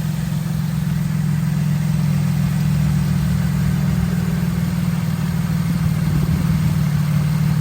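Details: 2011 Cadillac CTS after water pump replacement, running: smooth, steady low hum with no ticking, surging or whine; healthy idle, cooling now working where before it shot straight up to 210.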